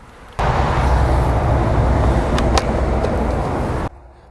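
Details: Lawnmower that previously ran only on starting fluid and then died, after a carburetor cleaning and lubing the recoil starter pawls: it fires straight up and holds a steady, even buzz for about three seconds before cutting off cleanly, sounding healthy.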